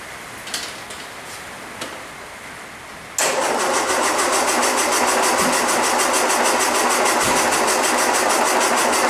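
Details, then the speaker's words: 1961 Land Rover, first start after full rebuild (rebored block, crank grind), choke held open, carburetor had been over-fuelling. Starter churns about three times a second with occasional firing thumps. Cranking and firing, but it will not catch. "it's trying to bark but it's not picking up"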